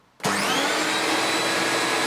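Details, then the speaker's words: Hoover Turbopower 3 U2876 upright vacuum, first switch-on after full refurbishment with new brush roll bearings and oiled top bearing of its Antec motor: spins up to a smooth, steady high whine, no rattle or grinding; old noise gone, runs healthy. "Beautiful. Those new brush roll bearings really have shut that noise up, and I also put a fair drop of oil in the top bearing of the motor, because you can't really take the motors apart on these."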